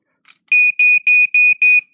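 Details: EI ionization smoke alarm, standard model, unknown model number, in sister's room, sounder test: five loud, shrill high-pitched beeps at about three per second, clean and steady, so the sounder works properly.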